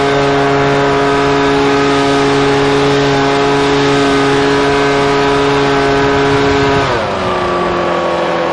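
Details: Husqvarna 125BV two-stroke leaf blower after new carburetor and filter fixed a blocked carb fuel passage, run at about 24°F with mixtures richened slightly: clean steady high buzz, settling lower as throttle drops, no stumbling; runs great.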